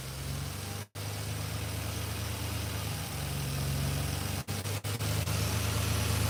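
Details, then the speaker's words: 1986 Chevrolet C10 with throttle-body injection idles rough with a low, uneven beat and brief dips where it stumbles and catches. Fuel pressure checked within 14–18 psi and holds; TPS already replaced. Check engine code 44 returns. Injectors or fuel pressure regulator suspected, not confirmed. "So it's stumbling, right? So it is. All right, now look."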